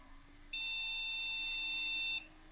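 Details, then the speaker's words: PC motherboard with all expansion cards, graphics cards and RAM removed, powered on for a no-display fault: one long high-pitched beep of about 1.7 s, meaning no RAM detected but the processor is working. "That beeped. Hear that long? See? Hear that? That means that it's detected that there's no RAM in the system, and obviously the process is working, otherwise it wouldn't beep like that."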